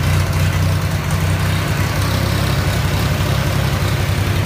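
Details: Ford 3000 gas tractor: low, uneven chugging idle with irregular beat; rough running, cause unknown (owner considering spark plugs, fuel additives or carb cleanup).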